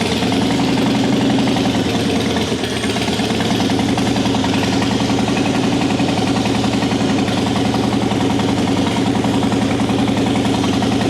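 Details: 2003 Harley-Davidson Softail Deuce Twin Cam with 400 miles, first start after fixing a no-start from a leaking fuel pump O-ring; fuel pressure about 60 PSI, holding 55. Loud, steady V-twin lope at idle with no stalling or missing: normal idle.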